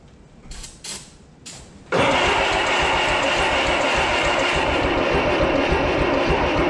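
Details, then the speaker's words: 1955 Oliver OC3 crawler tractor, sat 20+ years, with an IH Farmall M distributor, a new coil and cleaned points, cranked on ether. Steady cranking at about 3.5 beats per second with a faint catch as it tries to fire but doesn't run; timing is possibly too advanced. "there it tried to do something so we're close"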